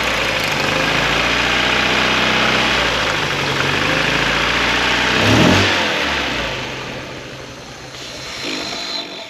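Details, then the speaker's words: 1994 Eunos Roadster (Miata) with new plug leads: lumpy, loping idle that stumbles worse when a middle plug lead is pulled, so two cylinders misfire; new leads made no difference, cause unknown. "As soon as I pull this one out, nothing changes. It's the exact problem we had last week. Put that one back in, nothing changes."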